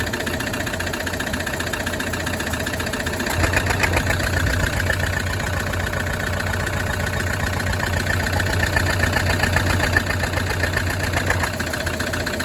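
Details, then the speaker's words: Toyota D4D diesel brought in with a flat battery: rough idle with a hard knock two or three times a second over the rattle, a cracked piston. "And everybody knows that watches this channel, that is a cracked piston."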